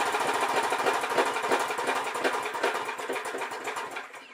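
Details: Old 4 HP Briggs & Stratton lawnmower engine after carburetor cleaning and reinstall (it had loped at full throttle, suspected plugged mid-circuit); fast, even buzz holding steady speed without hunting, then winding down, running good now.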